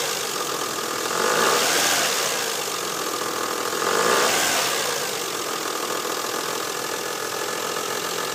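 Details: 2000 Mazda 626 V6 (K engine), about 100k miles, light ticking at idle that swells with each throttle blip, began on startup a day or two earlier, less pronounced once warm in 70s°F weather; unidentified engine tick, source unclear.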